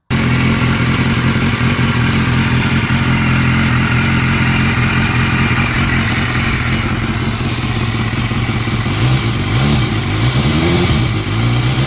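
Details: 2016 BMW S1000R, warm idle on Motul 7100 5W-40, 600 miles after the last service, baseline before switching to Castrol Power 1: steady four-cylinder idle, light top-end valve tick, throttle blips. Normal.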